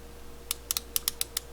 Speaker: Inside the tail of the dial here is a ratchet mechanism that's set to a precise pressure, and when it hits that pressure against the workpiece, it trips, so you can't over tighten it.